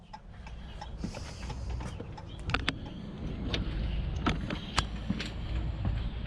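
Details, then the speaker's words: Normal hazard flasher relay clicking on a 2016 Ram 2500 after BCM reconfiguration with AlfaOBD to remove old HID and LED fog conversion resistors and relay harness; sharp uneven clicks from the switchback relays over a low idle rumble. "so yep I can hear the switch back relay clicking and I can hear them both clicking so good there"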